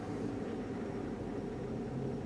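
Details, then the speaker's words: Circa 2004–2006 Chevrolet 1500 V8 with check-engine light, a sensor already replaced: lumpy, uneven idle as a cylinder skips, possibly a dead cylinder. "she's definitely skipping let's put it in drive"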